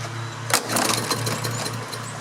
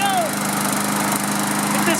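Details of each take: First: Briggs & Stratton lawn mower with plastic carburetor, sat outside a couple of years with brown old fuel, runs unevenly with pops and surges over a thin hum only on starting fluid; fuel starvation from a clogged carburetor needing cleaning. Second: Briggs & Stratton lawn mower with plastic carburetor, sat outside a couple of years and wouldn't start. After the carburetor was cleaned and fresh fuel added, it holds a steady, even buzz with no misses or surging; healthy and settled.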